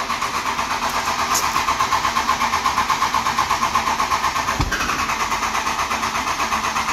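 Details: Grenaded fuel pump replaced on a 12-valve Cummins dually: steady starter churn at about two beats a second with brief stumbles, but the diesel never fires. Fuel pressure read zero on a quarter tank with no in-tank pump, primed by hand. Cranks, won't start.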